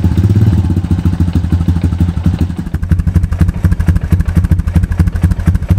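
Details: 2002 Honda TRX250EX quad left outside unused for 10 years, first run after a fuse replacement: quick idle with a loose, clattery knock on every beat. A stethoscope places it up at the clutch; owner hopes a clutch adjustment cures it. Engine knocking noise.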